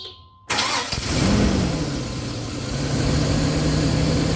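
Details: 2000 Chevy C3500, voltage dipping to about 11.2 V while cranking: brief crank, engine catches at once, flares, then settles into an even steady idle; normal start.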